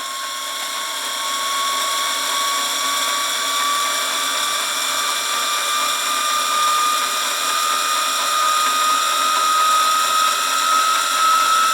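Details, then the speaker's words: Wilesco T115 model steam turbine under light belt load driving a motor shaft, started with a jog at about 10 PSI indicated; high, clean whine with pitch creeping slowly upward as it holds speed, normal running. "Let's see. Not yet. About 10 PSI indicated. Give it a jog. There we go. Well, that is turning the motor shaft."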